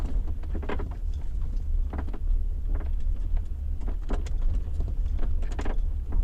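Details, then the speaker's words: BMW X5 E53 driving on the road, microphone in the boot: irregular sharp creaks and taps over steady road rumble from the tailgate, caused by the upper tailgate lid not pressing tightly against the lower lid. "мы доехали два отрезка где постоянно у меня скрипит багажнике ваш расположен в багажник и вы там послушайте все эти неприятные звуки"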